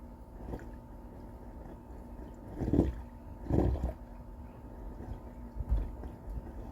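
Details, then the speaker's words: Clogged dryer vent line of about 32 feet, running with the dryer on, heard from outside: airflow rush with gurgling as air passes over water pooled in the pipes, causing water to leak through the ceiling. "can hear the water in the pipes as the air is going over it."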